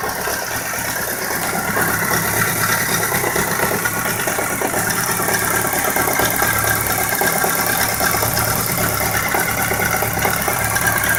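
Busy idle with an uneven light ticking and a faint knock riding over the engine; something is knocking, cause not yet pinned down.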